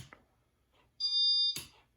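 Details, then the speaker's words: Casablanca Panama 5 Inteli-touch ceiling fan made April 1988, board cleaned, setting speed 1: single clean high piezo beep about half a second confirming the setting; piezo in good tune, healthy. "The piezo is in good tune and it sounds healthy."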